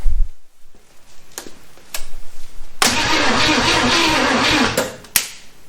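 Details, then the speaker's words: 1971 Chevy Nova abandoned for over 30 years, coil wire reconnected: starter churns steadily about two seconds with no firing; cranks but no start, owner thinks the ignition isn't working. "okay so i don't think my ignition's working"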